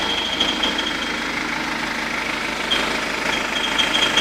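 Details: 2009 BMW 120d diesel, 53,000 km: idle with faint irregular high-pitched chirps and ticks coming and going, owner wonders if cricket-like; recorded on phone, later from outside car; irregular engine noise, source unknown.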